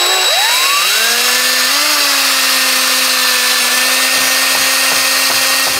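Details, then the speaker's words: Cordless drill with a 6 mm masonry bit drilling up through plasterboard above a window: spins up, then a steady bright metallic whine as the bit hits a steel lintel. "now you can hear that we've hit the steel lintel"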